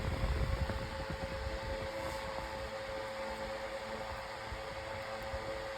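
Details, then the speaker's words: 9-inch Airtek high-velocity fan on medium speed, a little loud but blowing good air: steady even whoosh with constant motor hum, no ticking or rubbing; normal running. "It's getting a little loud. That's neutral for a fan like this. I would say at least this blows some good air right now."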